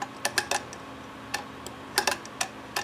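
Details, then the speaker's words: Homemade overhead-valve conversion of an antique Briggs engine turned by hand, exhaust valve clearance set to 0.015 in: crisp, light rocker tapping with no binding, the normal sound for correct clearance. "look at that spin it let's hear it I want to hear it tapping oh yeah there you go no binding"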